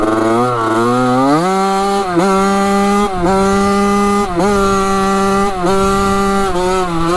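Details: Rebuilt 1985 Yamaha YZ80 two-stroke on its first ride, warm: a crisp, ringing note climbs through the gears with a short dip at each shift and pulls clean and even. The silencer is not working well. Normal two-stroke running.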